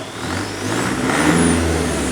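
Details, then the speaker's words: Mercedes CDI diesel in a T1 camper van conversion, warm at 60 degrees, no dash faults: revs rise and a clean whistle climbs with them, no flutter or rattle; variable turbo vanes working, normal turbo spool. "You hear the turbo variator working. Yeah. I've got no faults on the dash."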